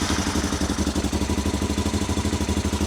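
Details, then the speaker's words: Honda Africa Twin after rebuild, with the rear cylinder temporarily reconnected: an even loping idle with no dropouts, both cylinders firing. This proved temporary. "That sounds nice. And that is definitely both cylinders. Oh, I am very pleased."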